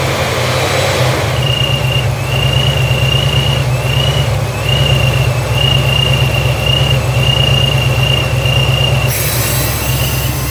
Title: Vacuum Leak